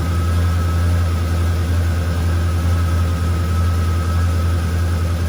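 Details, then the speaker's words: Camaro rebuilt 6.0 V8, just after first startup: deep, even burble at steady idle, about 60 psi oil pressure, smoke burning off, no leaks, no knocks, ticks or misses; healthy. "We got like 60 pounds of oil pressure. pressure. So far, she seems happy as hell."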